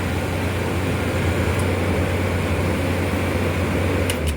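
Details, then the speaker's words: Old Whirlpool 25,000 BTU window air conditioner with factory Bristol reciprocating compressor, R22 charge intact, at first startup: smooth constant compressor hum, even fan rush, some hissing, no knocking; runs and cools normally. "Gracious sakes, listen to that. Lots of hissing. But yeah, that thing runs good."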